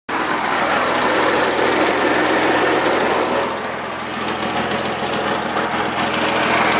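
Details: Mitsubishi 3000GT engine, freshly rebuilt, running with fast light ticking about three or four a second that keeps pace with the engine; cause unknown.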